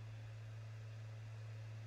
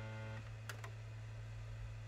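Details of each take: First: PS5 installing a game from disc, after reseating a loose side panel that caused rattling: only a steady low hum of the disc spinning in the Blu-ray drive, no rattle; normal. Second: PlayStation 5 copying a game from disc: steady low buzz and rattle under the spinning Blu-ray disc, caused by a loose, improperly secured removable side panel vibrating; it stops when the panel is pressed.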